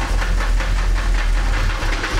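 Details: Old square-body truck with V8, untouched for a year: loose metallic rattle over steady idle, dense in the upper range; owner suspects torque converter or flexplate.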